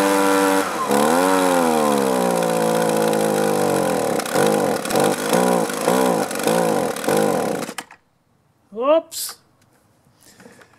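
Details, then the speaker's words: Echo two-stroke leaf blower with aftermarket carburettor, new plug, filter, fresh fuel and clean air filter: revs surge and hunt after about three minutes of running, then it cuts out; stalling, traced to fuel starvation from carburettor debris. "so I had it running about maybe three minutes and you saw it finally just choked out now the first thing that might cross your mind is bad fuel but I just put fresh fuel that I just bought in"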